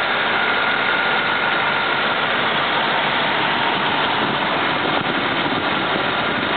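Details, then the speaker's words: 1959 Cadillac Sedan deVille V8 with hood open: steady, even, quiet hum with no knocks, ticks or misses; runs sweet, normal idle. "but she do run sweet there's no doubt about [Music] that"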